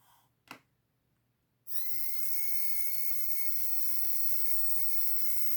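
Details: Bulldog F1 slot car motor run-in on 12 V bench supply, current dropping from 0.25 to 0.17 A: steady clean high whine holding pitch, no grinding, still ringing like a bell, likely the drivetrain; normal motor and gear whine.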